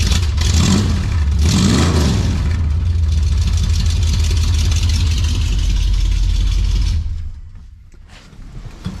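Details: 1968 Dodge Coronet 440 V8 with new exhaust, ignition timing set with timing light: catches quickly, brief flare, settles into deep steady burble then shuts off; clean start and smooth idle.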